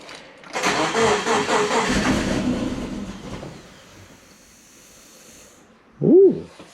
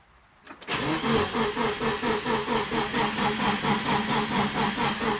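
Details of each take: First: Freshly rebuilt turbo Subaru Forester boxer engine on first start, injectors re-enabled: catches after cranking and runs unevenly for about three seconds before fading out; rough, stumbling first start. Cause suspected, not confirmed. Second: Freshly rebuilt turbo Subaru Forester boxer engine, first start, cranking with injectors disabled to build oil pressure: starter turns the engine over evenly, about two pulses a second, no firing; a normal priming crank.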